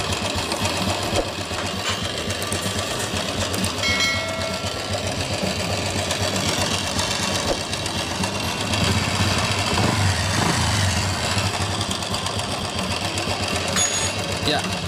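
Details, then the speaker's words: Honda Revo Absolute engine running with rough noise at front: quick busy ticking rattle strongest at front of engine; cam chain found slack and small sprocket worn. "ini suara berisik di mesin packing depan ya ini diperkirakan suara rantai keteng nanti kita cek lagi"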